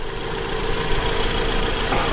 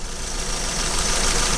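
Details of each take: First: Acura TSX four-cylinder after replacing the faulty cylinder 3 ignition coil (P0303 misfire): even, steady idle with no stumble or missing beat, tool clatter nearby; running smoothly on all cylinders, normal idle. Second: Acura TSX at idle with ignition coil connectors unplugged one at a time to find the dead cylinder: uneven, lumpy shake with no steady beat; misfire, cylinder 3 coil found bad since unplugging it made no difference.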